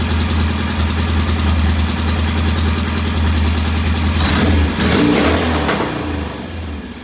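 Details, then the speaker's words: Norton P11 vintage British competition motorcycle, twin-cylinder, first start after repair: steady, even idle set at about 1,000 rpm with a smooth beat and no knocks or ticks. Healthy engine. "All right, that's a very nice uh,000 RPM idle. I'm going to leave it there."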